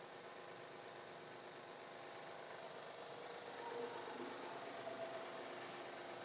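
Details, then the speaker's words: 2012 Honda Pilot cold start after sitting about two weeks, serpentine belt off: steady idle with a light, fairly quick tick that stops once warm; the bad idler tensioner pulley wasn't the cause, owner suspects lifters or timing belt tensioner. "noises still making some weird noises I know if you can hear it on the camera I was hoping it was the pulley and it was definitely bad almost sounds like lifters once it warms up it stops"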